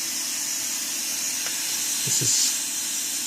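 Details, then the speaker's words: Second-hand Studio Projects VTB1 preamp with no microphone connected, XLR into the sound card, monitored on headphones: steady, even high-pitched hiss with nothing on top, the normal noise floor; the faulty buzz only appears after about 20-30 minutes. "you can hear the hiss that's perfectly normal no worries about that"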